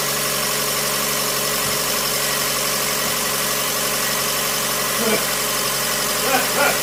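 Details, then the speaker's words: 2012 Fiat 500, first start of a used replacement engine stored over a year, plugs and coil packs fitted, no coolant yet: smooth steady even idle hum with no knocks or misses. Slight smoke from oil burning off; much smoother than the old engine. "see what she sounds like oh she's so much smoother than that other engine"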